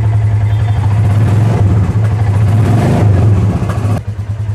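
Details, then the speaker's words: Royal Enfield Classic Reborn single after engine rebuild, timing chain set to fix smoking: starts on first self-start, deep even thumping at steady idle with a brief blip, no knocks or rattles; sounds healthy. "अब बारी है start करने की सबसे पहले start कर रहे हैं एक ही सेल्फ में गाड़ी स्टार्ट हो चुकी है"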